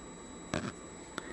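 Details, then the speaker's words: ThorFire VG10 flashlight, XM-L2 LED, PWM driver: thin, steady high-pitched whine from the head with brief handling clicks, recorded right next to the microphone. The whine is louder when shining on a black object. "And an interesting thing I found out was that for some reason it emitted this whine. It is at the head, and especially when it's shining on a black object."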